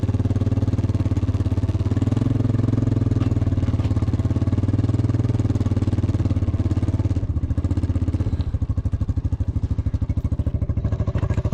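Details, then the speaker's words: Cat 307SSR excavator pushing dirt after overheating fix: deep, even diesel thrum holding steady under load, no knocks or misses; water temperature not rising after extended running, overheating fixed, normal engine under load. "Okay, we've been running for some time now. We got this far and my water temp hasn't moved. My problem is definitely fixed."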